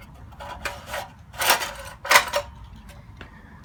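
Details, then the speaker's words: Briggs & Stratton 3 HP engine on an MTD edger: harsh scraping squeal on each recoil starter pull, stalling the engine; starter clutch cap unsealed and ball bearings dislodged. "And as you could hear earlier, it was squealing really bad when I tried to start it, actually stalling the engine out."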